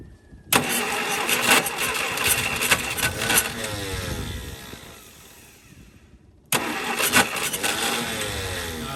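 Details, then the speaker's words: 1951 Studebaker on a start attempt with gas pumped straight into the carburetor; it runs unevenly on its own for a few seconds, then fades out and quits as the fuel runs dry, before cranking and catching again. "that's running on its own cast right now too out of that has the carburetor yeah just ran out all the fuels out"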